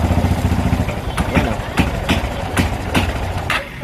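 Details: Single-cylinder motorcycle idling unevenly with sharp irregular pops like rapid backfire and dips where it nearly stalls, cutting out worse under electrical load; the non-original local voltage regulator is faulty, causing intermittent cutting out and misfire.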